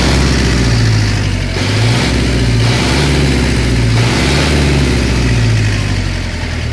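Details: Engine knock while revving up and down: a low, uneven knocking of roughly four beats a second sounds under the rise and fall in revs; cause suspected but not confirmed.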